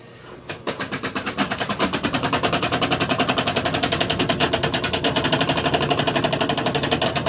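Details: Consul washing machine spinning with a loud, fast clattering knock, many beats a second, that never settles; owner says it is very noisy during spin.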